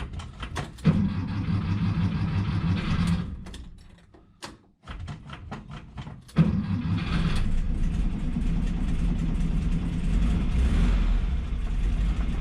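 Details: 1963 VW Bus that wouldn't crank: the starter solenoid wire from the ignition switch was hanging loose. After reconnecting it, the engine cranks, catches, stumbles, restarts and settles into a steady, even air-cooled idle. Engine starts and runs.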